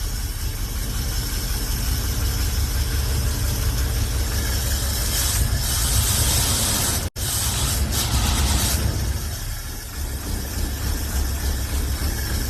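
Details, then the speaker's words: Hot rod V8: a lumpy, uneven idle with a stumble and a brief dropout; the owner suspects it is firing on only six cylinders, a misfire not yet checked. "purring it sounds like [ __ ] right now I think it's firing like on six cylind there's there I died so I don't think I think we have a mire here"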